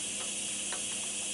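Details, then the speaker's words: Constant airy hiss with no rhythm while upholstering a package tray panel with a pneumatic staple gun; the owner suspects a leak somewhere in the compressed-air line behind the work area. "and I think I've got a leak in my air system back in there somewhere I hear it hissing"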